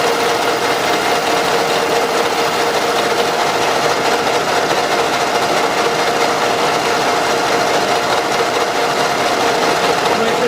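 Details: Running engine, oil rarely changed, heavy blow-by; owners reported strong knock in the engine or near the head: light, uneven tapping about two per second up top, from camshaft axial end play; pressing the cam with a hammer handle stops it.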